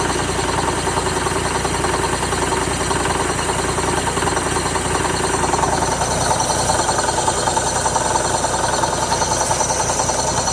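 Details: 2006 Mazda Miata NC petrol engine at idle: loud, steady knocking clatter that began after highway driving near 4,000 rpm; owner first suspected the A/C pulley; it was the A/C compressor, and replacing it fixed the idle and the knock.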